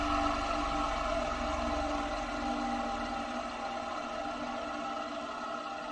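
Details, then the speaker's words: Vintage ILGJET 24-inch Type Q fan motor coasting down after switch-off with a dry, rough whir from the original worn, dry 6203 bearings, before replacement with new Timken 6203s. "They have a nice dry sound to them."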